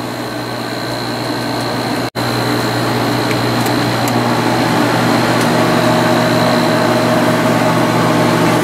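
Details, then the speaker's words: 1995 Sharp Comfort Touch 10,500 BTU air conditioner after fan motor bearing replacement: steady even hum with a faint high whistle from refrigerant in the lines, no grinding or rattle; compressor and fan running smoothly, bearings much quieter. "good motor sounds real happy now noise you're hearing is just a refrigerant going through the lines the bearings are pretty quiet compared to how they used to be"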